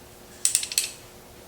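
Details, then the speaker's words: Kawasaki KE100 kickstart during replacement, old mechanism shown: quick run of sharp light clicks as the kick lever springs back and the ratchet winds home, then one more brief burst; normal kickstart ratchet return. "This is winding it back up. So you kick it like you're kicking it to start it. It's going to go this way, turn the engine, and that will make it retract back up."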